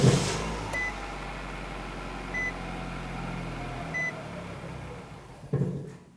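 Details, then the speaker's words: 2007-2012 Nissan Versa, fuel pump fuse pulled before replacing the fuel pump module under the rear seat: engine cranked and left to run until it stalls, depressurizing the fuel system. A low, even idle with a few chimes sags and dies after about five seconds from fuel starvation. "let's go ahead and crank the engine and let it run until it stalls out"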